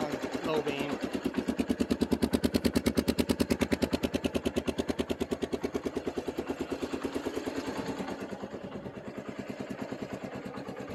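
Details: Secondhand 1995 Kawasaki Bayou 300 4x4 ATV, single cylinder, in neutral on choke, low on gas: even putt-putt at about three beats a second, slowly settling as it warms; sounds healthy and steady, seller said clutch rebuilt.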